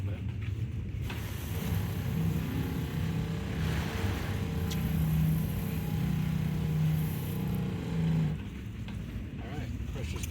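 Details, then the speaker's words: Southeast Softwash Alumimax Pro skid soft wash pump after repairing an air leak in the drop tube: steady, even low drone on water with no sputter or surging; leak seems fixed. "all right so it seems like we fixed it"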